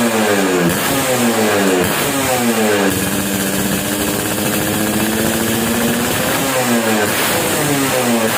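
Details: Satria 2T (two-stroke) after re-porting and initial engine setting (not yet final), owner had complained of heavy, sluggish pull: crisp ring-ding buzz rising and falling through throttle blips, revs climb and drop cleanly, no misfire or knock; normal running.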